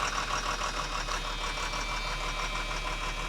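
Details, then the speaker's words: Abandoned Georgie Boy Cruise Master motorhome diesel, unused nearly a decade, rotten diesel: catches and runs unevenly with irregular knock about three times a second, never settling, then stalls; brief start then stall. "Ooh, that actually wanted to fire. Try again."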